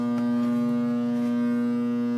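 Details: GE AJA12DFV4 window air conditioner made in 1997: a loud, steady low hum with a strong fixed pitch starts as soon as it is plugged in, even with the dial off, and eventually trips the circuit. The fault began during normal use, and the cause is unknown.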